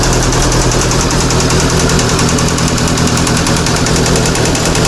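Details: Swapped-in VAZ 2114 engine on its first start. A rapid, hard knock over rough running comes from the top end; the owners suspect valves, tight shims or the camshaft, unconfirmed.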